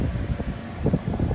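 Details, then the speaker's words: 2018 Mazda CX-5 HVAC blower motor just replaced (old one made weird noises), AC on, cover still off: steady low whooshing hum, faint rumble, no squeal or ticking; a little noisy uncovered but normal, airflow same as old. "so the ac is on it's a little noisy but not too bad it seems like it's pushing it pushing out about the same air as the as the old one"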